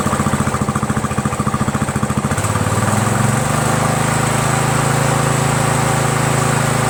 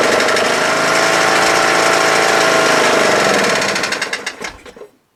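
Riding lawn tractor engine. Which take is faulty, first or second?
second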